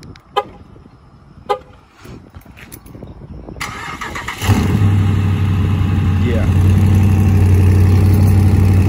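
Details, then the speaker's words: Car after a wreck, starting and idling: a loud, deep, raspy drone louder than stock from a hole in the muffler; exhaust leak, engine otherwise fine. "that that loud noise you hear that's the muffler but other than that car is fine"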